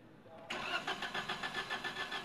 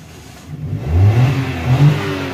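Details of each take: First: Suzuki Alto: long cranking with even starter pulse, never starts, code P0336 crankshaft position sensor range/performance. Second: 2021 Suzuki Alto with long cranking before start and stored DTC P0336, crankshaft position sensor circuit range/performance; code cleared, in neutral: engine catches cleanly and settles, then two smooth revs rise and fall with no misses or knocks; normal start and rev.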